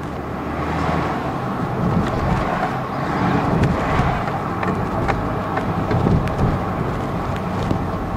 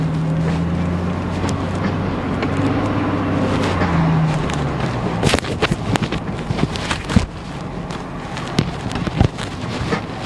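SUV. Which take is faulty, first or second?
second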